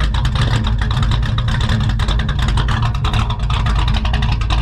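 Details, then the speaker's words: Carburetted XR engine idling on its first test drive after being revived, before warm-up carb tuning: deep steady even rumble, no misses or knocks; healthy idle, though it may stall under hard braking. "Let's have a bit of a listen to this idle, guys. This thing sounds so mint."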